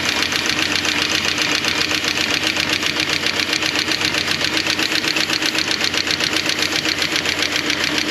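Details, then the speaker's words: Renix Jeep on normal fuel after troubleshooting: steady idle with a regular uneven pulse about four times a second, a small repeating misfire. The front cylinder is now firing where it made no heat before. "That don't look right. Sounds like it's just got a small miss."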